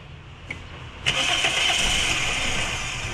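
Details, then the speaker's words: Toyota Altis with severe vibration and misfire, ignition coils new, injector checked, number-one spark plug found wet, engine not overheated: it catches and settles into an uneven, lumpy, stumbling idle. "Ayan mga boss may Toyota altis tayo rito na sobrang ma- vibrate at palyado so titingnan natin yan"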